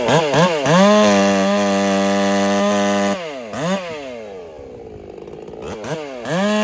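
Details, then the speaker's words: Ported Husqvarna 385 chainsaw being broken in, carb tune deliberately left a touch rich: a high scream revving up and down with a faint four-stroking burble at full throttle. "All right, I'm going to leave it right there for the tune. Just to be on the safe side, she's still got just a tiny bit of burble on the top side."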